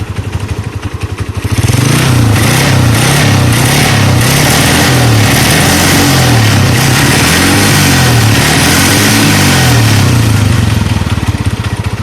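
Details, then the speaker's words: Honda TMX CG125 motorcycle converted from contact points to CDI: single-cylinder revved, falls back unevenly, idle unstable then stalls; ignition timing too retarded, to be fixed by advancing the timing plate. "Ayan, kung mapapansin nyo din yung minor niya hindi ganun ka-stable, yun, namatay."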